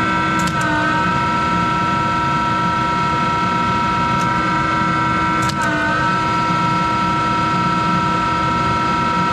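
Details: Monarch 10EE lathe, 3-phase motor-generator DC spindle drive, speed switched: loud steady whine over a rough hum, pitch dipping at switching; worn motor-generator bearings needing replacement.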